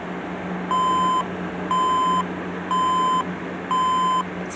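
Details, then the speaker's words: HP dc7600 SFF desktop; four even half-second beeps repeating about once a second over fan hum; POST error beep code, owner reads it may be a power supply problem, unconfirmed. "so from what I read may be thought of for is a power supply problem"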